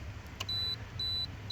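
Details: 2005 Acura RL no-start with blown fuse 7 (10 A circuit), breaker tool set to 8 A in its place: repeating high-pitched beeps about twice a second over a faint hum as current climbs; short circuit in door handle wiring.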